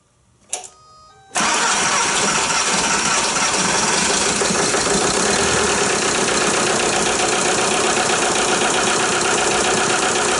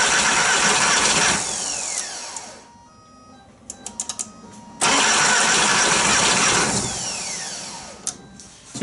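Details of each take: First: VW Jetta A3 TDI diesel after glow plug harness replacement and reattaching injector return lines, bled at loose fitting: short crank, catches straight away, settles into steady, even diesel clatter at idle; starts and runs healthy. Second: VW Jetta A3 TDI diesel after glow plug harness replacement, injector lines reinstalled with one left loose to bleed: two long cranking runs with no firing or catch; no start from air in the injector lines.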